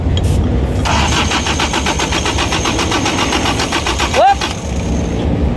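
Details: Diesel engine cranking steadily about three turns a second without firing; no diesel came out at the injector lines, injection pump not delivering fuel; magnetic (fuel cut) switch being tested next.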